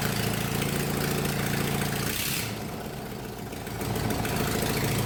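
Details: 1999 Murray riding mower being built for racing, running with exhaust and air filter removed: harsh, loud open bark from small single, briefly dipping then recovering; loud exhaust with muffler removed.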